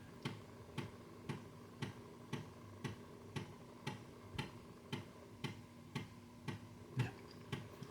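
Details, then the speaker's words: Amiga 500 after repair, rebooted to load a game straight from the floppy disk: crisp regular ticks about twice a second over a quiet hum as the floppy drive steps and reads the disk normally. "I'll leave the flopping reboot it and technically it should load straight from floppy Drive"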